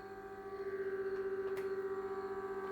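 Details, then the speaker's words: Kenwood TS-440S after repair of weak AM receive, receiving an AM 400 Hz test signal: clean steady tone near 400 Hz with a faint hum underneath from a failing bench power supply; normal AM receive. "Anyway, that's I'm just receiving am 400 Hz. See the nice 400 Hz tone on there."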